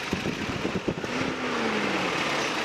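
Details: Toyota 22RE four-cylinder in a truck, freshly rebuilt and assembled: a few clunks at first, then an even, steady idle with no knocks or misses and no leaks; sounds healthy.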